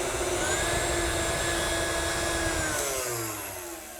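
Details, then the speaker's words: KitchenAid tilt-head mixer after full rebuild, brushes just refitted, first power test: smooth steady motor whine with even pitch winding down at the end; motor runs cleanly and healthy. "And once that is completed, in theory, we should have power. Oh yeah, take a listen to that. Sounds great."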